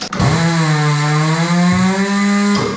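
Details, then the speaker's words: Coats rim-clamp tire machine air motor after oiling by pumping the pedal: strong, even buzzing hum spins up fast and holds steady pitch without sagging; running much stronger and healthier than before lubrication. "let's see how strong this thing is now I think it's running much stronger that sounds just way healthier"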